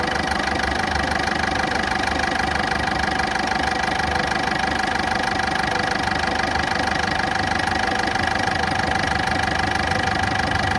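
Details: Ford Fiesta petrol engine idling loud and rough with a fast steady tick about three per second: engine ticking and rough running at idle.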